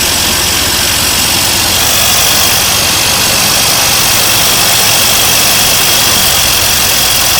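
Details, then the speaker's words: 1982 C3 Corvette, fuel-injected, left outside for a decade, first run after a fuel system overhaul: the engine idles with a loud steady hiss over its beat; a vacuum leak at a small line believed to go to the air cleaner. "That's a vacuum leak right there. I think that goes to the air cleaner."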